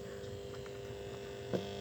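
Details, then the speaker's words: Home theater amplifier powered on with no input, Bluetooth not connected, speakers attached: steady low electrical hum that stays the same as volume is raised or lowered; source inside amplifier unknown. "একটা গা গা করে চিঁ করে একটা আওয়াজ আসছে, ঠিক আছে। ভলিউম বাড়লেও সে আওয়াজটা যে বাড়ছে তা নয়, ভলিউম কমালেও সে আওয়াজটা কিন্তু একই থেকে যাচ্ছে।"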